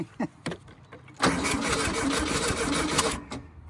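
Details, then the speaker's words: 1968 VW Baja Bug pulled from a barn after decades, weak-sounding starter, a little gas poured in: cranking clicks, then the engine catches with ragged, uneven popping for a couple of seconds; first fire. "I think it fired there, don't you think? I don't know. Oh, yeah. Yeah, baby."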